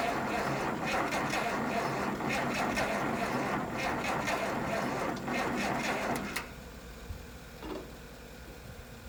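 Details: Long-sitting 1972 Massey Ferguson 1100, 94 hp, jump-started from a Chevy: slow, laboured cranking at about four turns a second for six seconds that never catches; weak cranking suspected, block heater and battery charging planned next.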